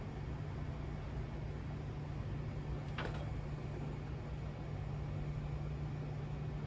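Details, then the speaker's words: In-tank fuel pump on a 1955 Buick turbo LS, first pressurizing lines and filling the surge tank, possibly low fuel in tank; low steady even hum once primed, no surging, fuel returning to main tank: normal fuel pump operation. "it's pushing fuel I can hear it I hear it fill in the surge tank"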